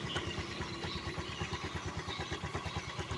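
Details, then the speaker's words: Newly bought Honda Vario scooter at idle: a rough, uneven rattle from the CVT that grows louder when the wheel is held, rises with a little throttle and disappears when riding; the clutch drags because its retaining clip is missing. "Ini seharusnya normalnya itu motor saat stasioner itu tidak begini ya teman-teman dan ketika saya lepas ini dia mulai timbul ada suara"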